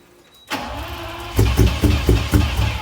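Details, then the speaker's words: Lamborghini Diablo after complete engine work: starter whirs, then uneven chuffing pulses about twice a second as the engine struggles to catch; hard start with long cranking. "Hey guys, here we have the Diablo still in a state of disrepair, but motor's all complete, engine work is all complete. But I got this problem on startup."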